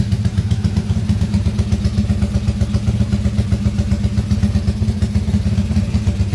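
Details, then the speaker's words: Motorcycle engine rebuilt under warranty after blowing up, crankcase repaired, just started for first time, still tight from fresh rebuild, idling only; steady single-cylinder thump near four beats a second, even low note, no knock; smooth healthy idle. "bisa didengar sendiri suara mesin halus ya."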